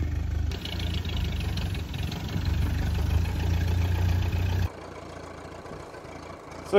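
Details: Ferguson T20 tractor, a barn find standing for 38 years, on its first drive after revival: a low, steady chug that runs evenly while idling and pulling off, then drops away. It runs healthy.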